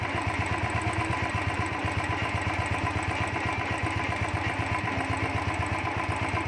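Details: Royal Enfield Thunderbird 350 single after fixing starting and missing problems by replacing a butterfly: steady thump about four beats a second, even with no stumbles, idling cleanly.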